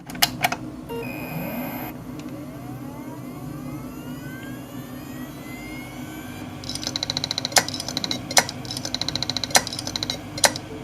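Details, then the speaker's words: New 4TB Seagate IronWolf hard drive, likely damaged in shipping: whirr rises then falls away, then sharp ticks about every half second as it stops spinning; clicking drive, owner believes it is dead. "one is in and i turn it on it makes the noise the sort of clicking noise but then it stops spinning all together so i think this drive is dead"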